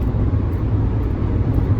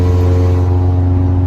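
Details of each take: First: Honda Element, 140,000 miles, at 70 mph after a replacement catalytic converter and new Denso O2 sensor were installed following theft; low, smooth, even rumble with no rasp or drone, healthy exhaust. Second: 2003 Honda Element after its catalytic converter was stolen, driving at 70 mph on the freeway: deep, loud, droning exhaust with a heavy low rumble and nothing muffling it; loud exhaust from missing catalytic converter, before replacement.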